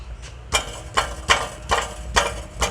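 An idling petrol engine with a sharp, regular tap about twice a second; the cause is unclear.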